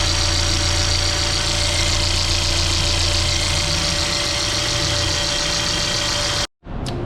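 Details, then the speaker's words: Mercedes GLA 200 after tensioner replacement, found with engine oil bone dry: steady idle with uneven light ticking, three or four a second, from the top of the engine after lifters bled; earlier rough noise gone; suspected hydraulic lifter noise from oil starvation. "we are getting a intermittent rough idling noise now on the um what you call these things the hydraulic lifters the lifters are making a noise inside the cylinder here which is over here on the top"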